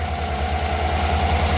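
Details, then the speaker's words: 2018 Chevy Suburban after AC compressor clutch replacement, idling with AC off and compressor disengaged: steady even low rumble, no ticks, knocks or squeal; healthy idle. "everything looks good the compressor's turned off"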